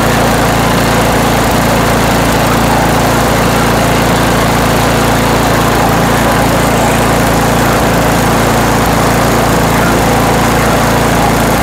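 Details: Toro Power Max 828 LE snow blower, 8 hp Tecumseh engine, after replacement with an adjustable Amazon carburetor and main jet tuning: steady, even drone at full throttle with no surging, hunting or stumbling; running smooth.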